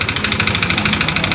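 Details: Yamaha NMAX 155 before bore kit replacement, started only after oil was poured into the spark plug hole: loud, clattery idle with a rapid rattling pulse and harsh metallic top-end noise from worn piston and bore.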